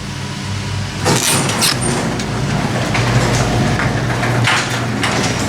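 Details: Garage door opener closing via the keypad: steady motor drone with rolling rumble and a few light clunks as the door travels down; earlier something sounded like it was rubbing, but nothing grinds or strains here; normal closing.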